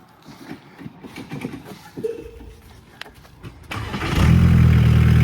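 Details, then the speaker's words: Barn-find VW Caddy pickup, off the road over 20 years, restart: some handling noise, then a quick crank and the diesel fires straight into life at a steady, even idle; healthy start. "Straight into life."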